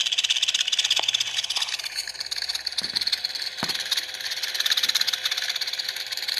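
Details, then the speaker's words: Large Mabe refrigerator, condenser fan beside the compressor at the back bottom: a steady airy roar with a faint constant hum and clicks, from a worn front motor bushing with play; fan also stops intermittently; fix is replacing the fan motor. "se escucha verdad amigos ese ruido es el que hace el ventilador"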